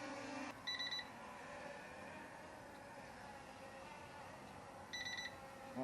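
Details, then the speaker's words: LSRC S1S Max drone flying outdoors in light wind: two short high-pitched beep bursts about four seconds apart over a faint hum; low-battery warning. "supposedly oh that's my battery all right"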